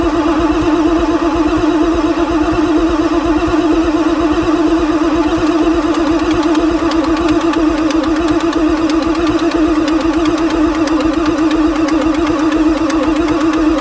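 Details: 1994 Ford Super Duty 7.3 diesel on fresh temporary batteries, oil pump housing primed: starter whine over slow, uneven cranking for fourteen seconds, no start. It smokes with blow-by from the intake; glow plug system suspected, engine described as very tired.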